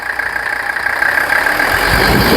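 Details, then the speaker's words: 1985 Mercedes 300 SD diesel idling: steady, even idle with constant light clatter and a faint high hum, no misses or knocks, runs healthy; alternator first suspected failed, later read 12.2 V and needs RPM to charge. "but listen to the sound of that. It just runs and runs, and it'll sit there and run."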